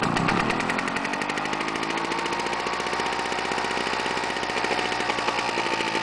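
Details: Victa Tilt-a-Cut edger's small petrol engine, restored after fire damage with new starter rope and air filter, carb not cleaned, runs fast with a steady buzzy firing rhythm, no knocks or surging: normal running.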